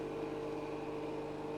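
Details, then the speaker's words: HVAC refrigerant recovery machine pumping from system into recovery tank, tank set in water to absorb heat; steady droning strained hum, tank needs cooling to stay under the machine's high-pressure cutout. "And we always want to be careful that number. We want to exceed the high pressure cutout. So we got to be able to cool down this tank."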